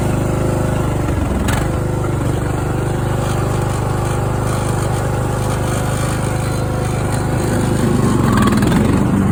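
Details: Craftsman riding mower engine that fired but would not run, after a new fuel shutoff solenoid, fuel filter, spark plug and fuel treatment (owner suspected water in the fuel): smooth, even putter holding steady speed, no surging or misfires; running properly.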